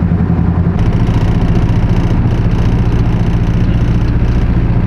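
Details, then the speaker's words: Subaru engine, claimed stock, with turbo, after one hard pull: loud lumpy idle with heavy knock about three times a second, car shaking, no oil left, oil light on, losing power; rod knock. "Would the car be shaking this bad if it wasn't a rod?"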